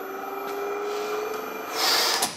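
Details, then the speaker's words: Classic Retrofit electric AC kit fitted to a Porsche 964 Turbo, engine off: steady, high-pitched whine from the electric compressor as it runs, then a rush of hissing. "That's really high-pitched, isn't it? I guess when the engine's running, you probably won't hear it, but yeah. Dogs will."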